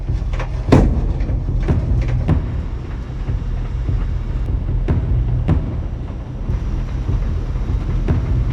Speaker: And they locked in right when this limiting switch right here right when it kicked. You could hear it lock in. It worked perfect.